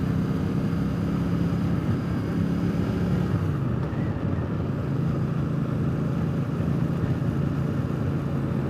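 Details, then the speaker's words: Triumph Speedmaster under way on replacement used official Triumph pipes: a steady, deep, even rumble with no overrun pops or crackles, much quieter and smoother with no downshift backfiring than the old rusted pipes; normal exhaust. "Boy, is it ever so much quieter. And no more backfiring on the downshift. A lot smoother."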